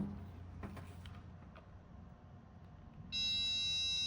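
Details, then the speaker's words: 1992 Honda Fireblade's brand new fuel pump, bench-tested after freeing its stuck solenoid contacts: quiet handling, then a sudden steady high-pitched electric whine that holds evenly. The pump now runs properly. "See if we can get it going now. Cool. We've all learned something. The contacts were stuck inside the pump even though it was brand new."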